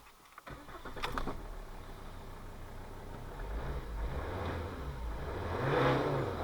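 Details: Volvo V50 D5 2.4 L five-cylinder diesel with DPF, after repairing an EGR valve positioning fault that caused limp mode: fires after brief crank, revs cleanly with no stumble, turbo now producing boost; possible slight air leak heard.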